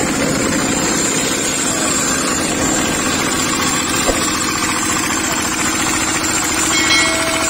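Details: Small single-cylinder diesel, tagged as an R175/R180-type tractor engine, ticks over with quick, even chugging and no misses or stumbling. Normal running, shown in a video on hard starting, which it attributes to compression loss too low to ignite the injected fuel.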